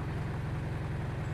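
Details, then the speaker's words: Mitsubishi Pajero Sport diesel at 98,506 km, idling in park: heavy, boomy drone with steady throb and very strong cabin vibration that disappears at 1300 rpm, caused by a broken engine mount. "Hai suaranya mesinnya getarannya kita lihat kabinet depan Hai getarannya sangat keras sekali"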